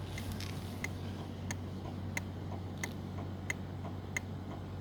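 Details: SYM VF3i turn-signal flasher relay after modification to silence the loud tick, signals and hazards working: soft faint ticks about 45 a minute over a low hum; relay quiet and normal.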